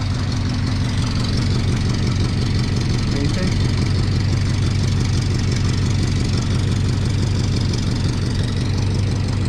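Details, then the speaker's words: Lowered 1987 Toyota pickup SR5 with new headers and exhaust, idling: steady low rumble with faint uneven puffing, a small exhaust leak from an unthreaded open hole from the bottom EGR piece near the manifold, left to fix later. "let's go for a little rip we can do that one tomorrow because it's called i want to drive so we have one more little leak i'll show it to you guys"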